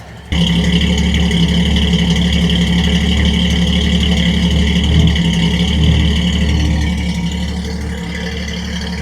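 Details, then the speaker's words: Ford Falcon six-cylinder with new stainless exhaust, J pipe and single-chamber muffler, at idle: steady idle with rapid puffing tick riding on the exhaust pulses; exhaust manifold leaking under the throttle body carburetor area, to be fixed. "you can obviously hear that the exhaust manifold is leaking from underneath the throttle body carburetor area which is a"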